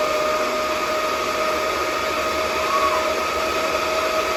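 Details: DB Werx amplifier fan powered by an adjustable buck voltage regulator set around 8.23 V output: steady airy rush with constant mid-pitched hum, no ticking or rubbing; fan spinning smoothly, normal.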